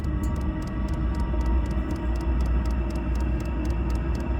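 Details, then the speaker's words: Diesel heater after a fan, fuel line and fuel pump revamp, running on a new ultra-quiet pump after firing on the third attempt following an A7 stop: crisp, soft ticks about three per second over the heater's low roar; normal fuel pump ticking. "That is so quiet. The Ultra Quiet Pump, they said."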